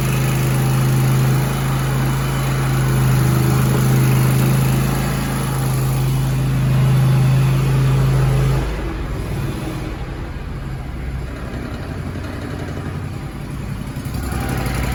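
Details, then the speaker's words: Zero-turn mower (Grasshopper or Toro) that had probably sat about four months with likely stale carburettor fuel, now running after an external fuel spray into the intake: even, steady low thrum with no misses or stumbles. Good, healthy idle. "Got good idle. yeah."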